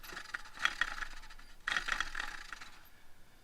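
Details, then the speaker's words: 2006 6.0 diesel truck, about 130,000 miles, Motorcraft alternator (possibly reman) spun by hand with gritty scraping and clinking; rear bearing failed, lots of shaft play. "oh hear that yeah bearing definitely went bad in the back yeah there's a lot of a lot of play in that shaft"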